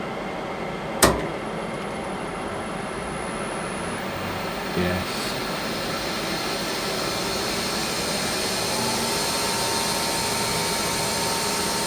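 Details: Lathe with mains-powered cooling fan behind the motor, spindle running after rewiring: a couple of clunks at start-up, then a smooth, even running hum with no knocks or rubbing; spindle runs fine.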